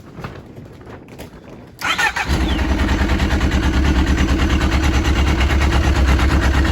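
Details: Yamaha RX1 1000cc four-stroke snowmobile, sat six years, after ultrasonic carb cleaning and coolant top-up: cranks and catches within seconds, settles into smooth even warm-up idle, no misfire or rattle.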